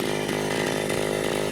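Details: Vintage Echo PB-202 backpack leaf blower, almost 40 years old, air filter missing, cold and warming up after first-pull start: steady even two-stroke buzz, no misses or surging; clean cold idle.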